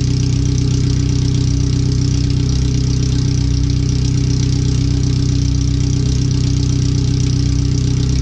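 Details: First startup after replacing header, fuel filter and differential seals, O2 sensors relocated: loud, raw, even, steady idle bark with no muffling, exhaust open straight after the header; computer read 5–7% rich at idle in closed loop.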